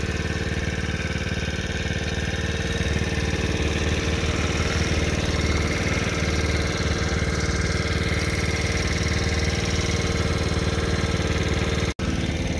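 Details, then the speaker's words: $200 marketplace small dirt bike/moped on its first test drive, which runs and drives well: steady, even idle with a smooth low putter, no missed beats or rattles; normal idle. "Yeah, it runs and drives pretty good. I wanna try it."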